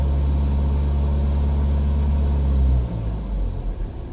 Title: Bruit moteur N47 sur 118d 2007/07, 151000 km